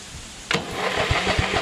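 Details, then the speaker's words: Briggs & Stratton 14.5HP SOHV engine repowering a Craftsman LT2000 after sump gasket repair: switch, solenoid, battery and starter work but the starter cranks sluggishly, about four labored compression beats a second. "hey crank so we know that the switch works solenoid works battery works starter works but it's not cranking very fast right wouldn't you think"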